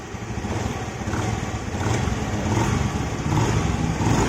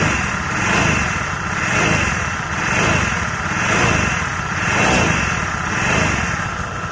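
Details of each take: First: Honda Vario 110 FI scooter, after crankshaft bearing repair and reassembly, listened from the side under light throttle: smooth running with no high whine. The "sing sing" noise heard there before the repair is gone. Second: Honda Vario 110 FI scooter, tested without the rear pulley: blipped about once a second, a high singing whine swells on even light throttle, from a worn crankshaft bearing; quiet at idle, sounds nearly identical to a worn final-drive bearing.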